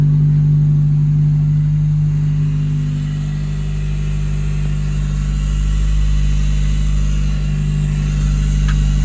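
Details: Honda City type 2 after engine rebuild, first run with exhaust fitted after five months not started: constant low hum with a steady drone over a smooth idle; unidentified motor noise, source not pinned down.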